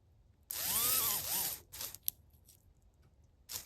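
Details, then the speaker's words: HO scale brass Union Pacific FEF-3 4-8-4 #840 model locomotive held by hand on plastic: motor whirs in a wavering, sagging whine, cutting out and stuttering, wants to run but struggles; owner thinks it needs cleaning, especially the wheels. "hand's actually slipping when I hold plastic it's like it wants to run but it's like"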